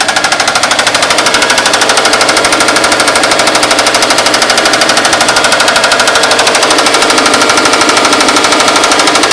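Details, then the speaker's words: 2004 Subaru WRX 2.0 turbo, stock, 167,000 miles: cold start with a loud, rapid, even rod knock hammering over the idle, pretty bad; engine to be replaced with a 2.5. "But right now she's got a rod knock."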